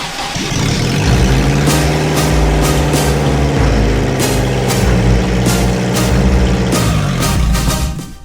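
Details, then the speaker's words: 1993 Subaru Loyale after engine reinstall, first start with exhaust not yet bolted up: cranks, catches and settles into a loud, open, rough-edged idle; normal start and idle, just unsilenced. "Hey, that's a success."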